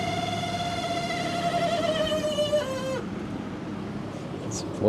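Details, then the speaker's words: 1995 Pontiac Firehawk that sat over 10 years: thin, steady whine sagging slightly in pitch for about three seconds then cutting out, from one of the cooling fans (new noise); car also cranks without starting (Opti-Spark). Cooling fan noise. "the fans. It's one of the fans making that noise. That's new."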